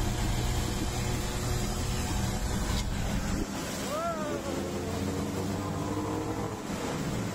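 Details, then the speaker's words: Mercury outboard on a rescue boat, hard starting fixed by replacing the defective spark plug: fires up and settles into a steady, even low drone, no misfire or stumble. "this is the defective spark plug and then as you can see the engine runs smoothly"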